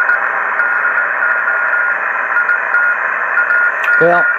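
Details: Kenwood TS-950S HF transceiver after repair of a deaf receiver, on 20 m with a wire antenna: even band hiss, faint steady carrier and a short voice breaking through; normal receiver operation.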